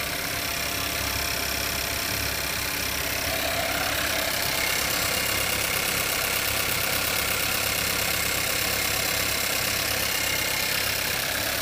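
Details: Kodiaq engine at idle with a light, fairly regular tapping about 220 per minute riding over it; engine knock, source not yet pinned down.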